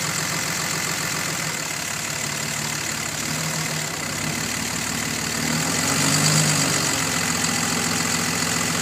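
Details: 2005 Dodge Cummins 5.9 diesel at idle: steady idle with a faint, fairly even tick or knock about three or four per second, loudest when cold and easing a little when fully warm. Cause unknown.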